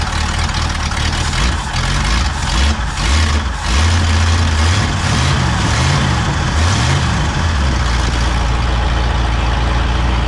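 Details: Pontiac V8 on freshly fitted rebuilt Holley 600 vacuum-secondary carb: loud lumpy idle sagging unevenly, running rough from a rich mixture with a sticking float.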